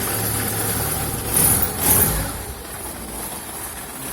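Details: Petrol car idling steadily after the crankcase (oil pan) protection plate, knocked on a dirt road, was bent back into place with a wheel wrench. It gives a low even hum with no rattling or vibration from underneath.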